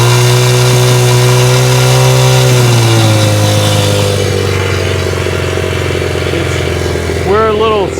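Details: Cold 1970 Honda CL100 single, about 11,000 miles, just freed from seizure, on partial choke: sputters unevenly at fast idle with smoke, speed sagging and hunting; owner suspects an air leak, cause unconfirmed.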